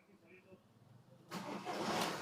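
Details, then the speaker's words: Skoda Octavia 1.9 TDI diesel, formerly cranking with no start and no ECM communication, after replacing the water-damaged ECM: quiet, then it catches on a short crank and settles into a steady diesel run; intake manifold temperature sensor fault remains; normal start. "गाड़ी अपने half self में गाड़ी start हो गई अपनी start है"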